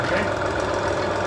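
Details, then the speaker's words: Concrete grinder started after an electrical repair: a steady, even roar with no wobble or pulsing. The motor and head run smoothly, free of vibration. "And if you don't see any vibration, it's good news."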